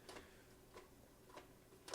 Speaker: do you hear that you hear that clicking I don't I don't know if it's supposed to be clicking like that but whatever